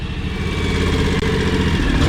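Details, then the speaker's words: John Deere X729 mower/tractor before a service, warming up to drain oil, exhaust at the front: uneven, stumbling idle with the odd lumpy pulse; engine missing at idle, owner suspects a clogged or choking carburetor. "hear that how it's like missing when it idles i think it's kind of choking the carburetors kind of clogged or something"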